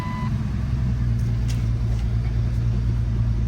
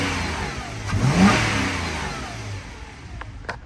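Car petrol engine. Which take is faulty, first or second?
first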